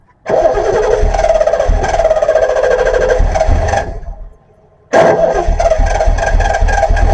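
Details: 1974 Triumph TR6 running after about four years of sitting, with fresh fuel in the float bowls: it runs ragged, sags and nearly dies around four seconds, and won't hold idle; a spark problem at the coil is suspected.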